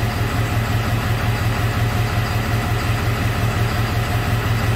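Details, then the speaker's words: 2001 Ford F550 7.3 diesel idling, no power, MIL on with codes P0118, P0237, P1273; deep uneven chug pulsing about three times a second, a definite misfire, cylinder three possibly implicated. "you can hear this thing it has a definitely has a miss in it"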